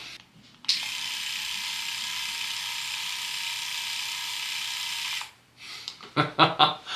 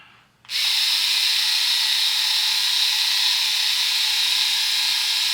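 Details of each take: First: Philips Norelco 3000 Series electric shaver, about 3 years old, just after swapping in new replacement blade heads: smooth, even high-pitched buzz with no rattle, about 10 dB quieter than the 71 dB measured before; normal running. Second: Philips Norelco 3000 Series electric shaver, about 3 years old, original cutters: switches on to a loud, high, steady buzz with a hissing edge and no let-up, about 71 dB on a decibel meter; worn blades due for replacing, new heads about 10 dB quieter.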